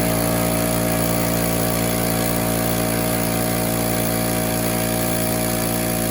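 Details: Small portable air compressor (about 2–3.5 CFM class, runs one gun) switched on: steady, even motor hum at constant pitch, no knocks or surges; running smoothly, though its gauge was not reading correctly.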